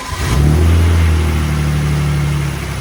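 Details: BMW E46 drift car engine flares when throttle is applied, then sags and hunts unevenly and sometimes stalls, even when warm; a smoke test found no vacuum leak and the owner suspects the injectors aren't firing.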